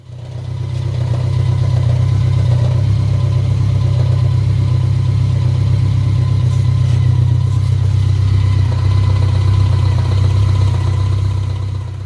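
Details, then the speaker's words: BMW K1200 (K-LT type engine) at idle: low, lumpy knocking about four times a second because hardened, worn rubber alternator drive dogs let the alternator bang back and forth. It goes away with clutch in, revs or alternator load. "so as you can hear that noise is you know it's because the alternator is kind of banging back and forth just a little bit with the engine at idle"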